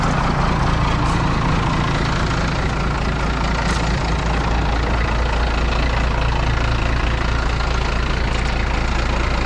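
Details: 1995 International 4700 dump truck, DT466 diesel, after re-priming fuel system following tank leak repair; steady even low diesel rumble with no misses or knocks, clean healthy idle.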